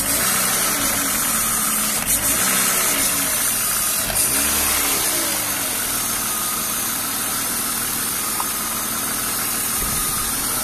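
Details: BMW E36 328i convertible, M52B28 engine: even idle with a loud constant hiss from under the intake manifold and a light rattle that seems to come from the engine itself, not the VANOS; oil change long overdue, owner suspects bad oil.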